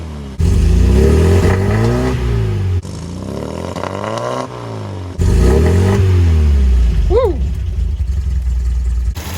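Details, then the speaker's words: 1974 MGB after full engine rebuild and new spark plug wires, briefly warmed up: clean idle, possibly slightly low, then smooth free revs with crisp pickup and no stumble or misfire; normal. "i actually might have to raise the idle a little bit but it'll sit here in idle all day but i'll show you guys what happens when i give her some gas"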